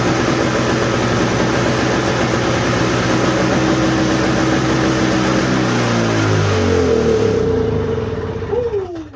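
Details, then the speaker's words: Toro snowblower sitting about a year, winterized with Sta-Bil, after a warm restart without starting fluid: steady, even buzz, then the pitch slides down as it coasts to a stop; normal running. "So yeah, I thought that was gonna take like 20 pulls. Honestly, I did. But the old Toro, he's ready."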